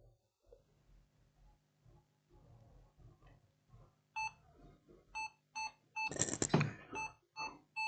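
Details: Lenovo ThinkPad Yoga 11e, no display at power-on: short high beeps in steady bursts about twice a second; laptop beeps continuously without starting, RAM problem suspected and RAM being swapped to test.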